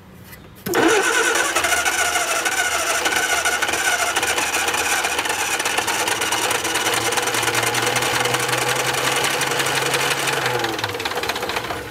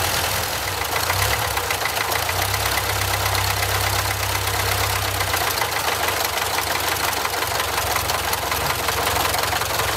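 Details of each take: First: Barn-find Austin-Healey Sprite, long-sitting, battery only, bottle-fed fuel with carb bowls leaking from shrunken gaskets: long cranking with a few ragged attempts to catch that die off; cranks but won't start. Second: Barn-find Austin-Healey Sprite on its second start, with only a new battery and drip-fed fuel: steady idle holding on its own with a light, even tick and no stumbling; rust blowing out of the exhaust.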